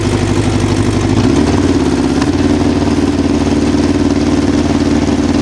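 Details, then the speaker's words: 1988 Honda CBR1000F Hurricane, original engine just over 30,000 miles, recently serviced: even four-cylinder idle with light uneven rattle that comes and goes, louder after releasing throttle, gone around 2,500 rpm; cam chain tensioner noise at idle, mechanically harmless. "you may have noticed after releasing the throttle later that the noise became a little bit more pronounced it kind of comes and goes at idle like i mentioned and there's a way to correct for that should you want to mechanically it's not an issue"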